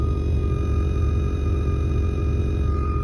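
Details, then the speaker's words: Whine heard through the car stereo speaker, a thin steady high-pitched tone regardless of source, blamed on noise or static on the RCA input cable; quick fix to follow. "high pitched sound doesn't matter what you're in there's still a high-pitched sound okay we're gonna fix this right now I already know what it is it's an RCA input issue it's static electricity and uh it's like static on the RCA input"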